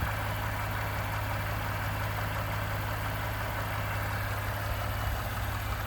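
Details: 29K-mile 2018 Ford F-150, 2nd-gen 3.5 EcoBoost V6, at idle: a light, uneven knocking rattle over the low drone. The owner cranks longer to prevent cam phaser startup rattle. Engine knocking at idle, cause not pinned down.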